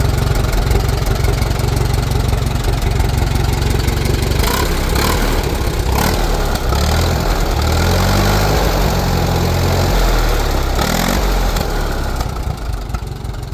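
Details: 1949 J.I. Case LA tractor, engine made a little over 60 hp on a dyno; strong, steady, even beat after start with oil pressure coming right up; gear noise heard at idle goes away when revved; healthy-running engine.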